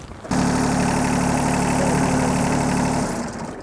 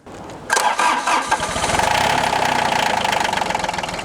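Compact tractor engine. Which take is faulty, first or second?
first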